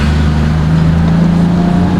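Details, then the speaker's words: Nissan Cefiro A31 RB25DET on test drive after routine maintenance and combustion chamber cleaning, engine feeling much lighter; smooth, even drone pulling cleanly with road speed, no knocks, misses or rattles; normal engine running. "Ini udah enak sih. Sebenarnya yang paling ngaruh sih di Chamber Clean tadi ya, berasa mesin itu kerasa ringan sekali."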